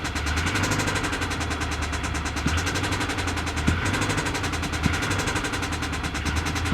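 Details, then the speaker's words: Kia Boy-damaged Hyundai at a salvage auction: it started with a bad rod knock, which stopped, but now a fast, even tapping rides over a rough idle and quickens with light throttle blips. Oil pressure is good; owner suspects a belt, unconfirmed. "so it started out as a rod knock a bad rod knock it's not knocking anymore but something is tapping right"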